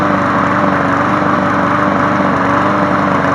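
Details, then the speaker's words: Craftsman 22-inch push mower, model 917.385320, after running a few minutes: loud, uneven, hunting beat about three per second; rough running, owner suspects a check valve. "As soon as I cut the camera off, I walked away and started running like this. I'm wondering if one of those check valves is causing this"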